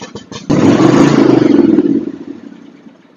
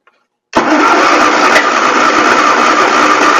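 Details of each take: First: John Deere X324 all-wheel-steer riding mower with automatic choke: uneven, lumpy chugging that surges, sags and dies away, running rough. Water in the fuel is suspected; the carburetor is to be removed. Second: John Deere X324 riding mower, after fixing a cracked float that let in water and flooded the carburettor, which had been running rough and popping: starts right up and runs steady and even, no popping or stumbling; sounds much better.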